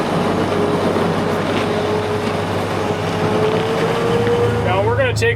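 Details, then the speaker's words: Big Bud 600 tractor, motor rated 600 hp but thought nearer 550 due to high hours, first startup of the year: deep, steady diesel drone with even low tone, no knocks or misses; sounds good for its hours. Normal running. "I mean, that engine sounds good. It sounds really good for the amount of hours that are on it."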